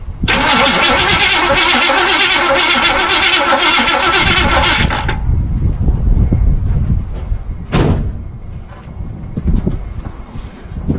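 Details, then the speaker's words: 1976 Chevy Cheyenne 4x4, long sat in the bush, cranked by push button with ignition off and the distributor found not connected: the starter spins it steadily at about four compression beats a second for five seconds; it turns freely without firing. "We'll see if we can get just a little bark out of it, folks. No fire. There is no fire."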